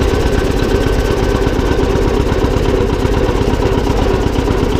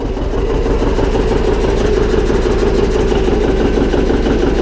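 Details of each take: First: John Deere 720 two-cylinder diesel tractor, first run after repair: steady, even idle with a regular low chug and no knocks or grinding. The transmission noise is gone; the engine sounds healthy. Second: John Deere 720 two-cylinder diesel tractor after repair: steady, even idle about three beats a second with a faint light scrape on top; flywheel rubbing slightly on the flywheel cover.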